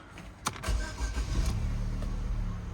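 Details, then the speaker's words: 2013 Vauxhall Zafira, Cat N crash repair, 92,000 miles: brief crank, catches quickly and settles into smooth, even low idle with no knocks or misses; separately, gearbox won't drive and makes a racket in gear. "so it runs really nice I gotta be honest like the engine is just running really nice"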